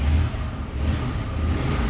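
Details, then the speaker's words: Ford LTD after fitting a new aluminum radiator to replace one that started hissing and gushing, engine cold on a not-very-cold day: brief rev with a deep, uneven note that stumbles rather than climbing cleanly; rough revving when cold. "it doesn't rev the smoothest when it's you know as cold as it is it's not that cold but it you know anyway absolutely awesome that this thing is running as well as it is"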